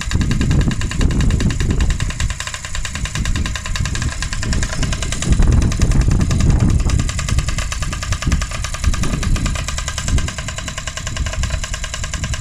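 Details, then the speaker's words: Freshly rebuilt Honda QR50 two-stroke started outdoors in the yard, oil topped up, little petrol in, new carb fitted: fast, buzzy firing holding steady under heavy low rumble from wind or handling; normal running. "So we'll take it in the yard, start it up, see how it runs."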